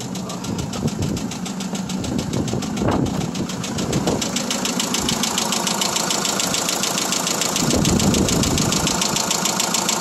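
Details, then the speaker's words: Mitsubishi Fuso diesel truck idling outside: extremely loud steady metallic knock about three to four a second, rod or piston knock in block; one cylinder shows excessive blow-by. "Okay, this is rod knock going on, or piston knock inside of the block."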